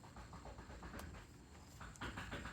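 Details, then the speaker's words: 2013 Volvo XC60 rocked at a standstill: quick dull knocks from about 10 degrees of steering play, the rack moving radially in the housing after its plastic adjuster cap failed; clunk worsening over three months, rack replaced. "so there's well it's probably about 10 degrees of steering play um where the wheels are actually not even moving so what's happening is the rack itself is actually moving relative to the housing"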